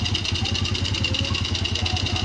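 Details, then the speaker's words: Suzuki Raider J 110 carbureted motorcycle idling after valve clearance check and carb tuning, steady single-cylinder thump with tappet ticking; some smoke noted; normal idle. "So far so good na siya mga idol. Ayan goods na siya uli."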